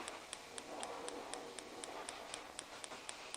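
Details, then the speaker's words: 2015 Hyundai i20 1.4, misfiring on two cylinders; the coil is tested with an old spark plug to stress it. Sharp dry cracks about four a second over a faint hiss: spark tracking through broken-down coil insulation, not the plug. "see that you can hear the cracks not coming out the spark plug it's actually coming out this little area here see the little spark there you go perfect broken down insulation on a coil"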